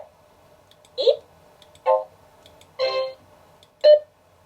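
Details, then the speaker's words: Macintosh Classic after repair of its no-audio fault, sound settings in the Control Panel played through the internal speaker: four short bright beeps about a second apart, clean and undistorted, normal alert sound. "But in the settings, we have some uh sound settings in the control panel. There we have it."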